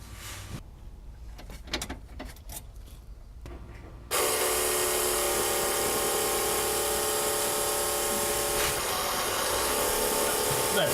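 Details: Newly installed Airtex inline electric fuel pump switched on: steady, even electric whine of constant pitch with no rattles, quieter than an in-tank pump; normal running.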